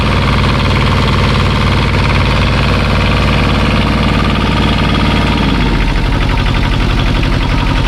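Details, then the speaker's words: 1985 Kubota T1600 diesel garden tractor, 290 hours, just started: steady diesel clatter picking up evenly as throttle opens near the end, no misses or knocks; normal running, though hydrostatic transaxle barely moves. "so yeah this thing cranks right up it runs really well give a little bit of throttle"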